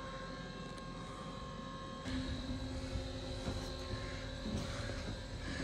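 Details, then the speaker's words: Acorn 130 straight stairlift, newly installed, climbing upstairs after a few seconds' delay once the button is held: steady, even motor hum with a faint whine holding level; smooth, healthy drive. "so I'm pushing it up it does take a few seconds before it starts moving and Away you go and you keep that button held until you reach the top of the stairs"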